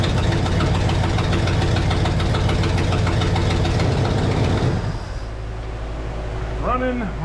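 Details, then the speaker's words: 1972 Pontiac LeMans V8, sat for a few years: lumpy idle pulsing about three times a second with an uneven puffing beat that drops off; possibly not running on all eight cylinders, though an exhaust leak may be colouring the sound. Rough idle, cause unconfirmed. "that's looking pretty good now definitely not idling on all eight but it is idling or at least it doesn't sound that way cuz of the exhaust League"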